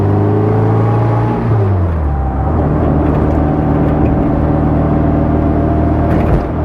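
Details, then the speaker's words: Restored 1960 Bugeye Sprite, 1275 engine, pulling away in first gear; thin whine rising with road speed over gravelly clatter heard beneath the exhaust; worn first gear in the transmission. "There you can hear underneath the exhaust, you should be able to hear that little bit of whine and clatter in first gear."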